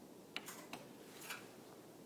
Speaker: when I push the button on the wall to lower the garage door all it does is a clicking sound so here's the demonstration so just clicking sounds and the garage door doesn't actually come